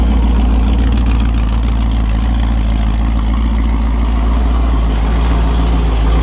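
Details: Holden 355 stroker V8 on a bench test stand, new engine for an HQ Holden (flat-top pistons, Sig Erson TQ30 cam, HEI, Edelbrock carb, Aeroflow single-plane, 9.5:1), bedding in cam and lifters: a loud, even burble with a steady lope and no knocks, ticks or rattles. Oil pressure is 30 psi at idle, no leaks; healthy.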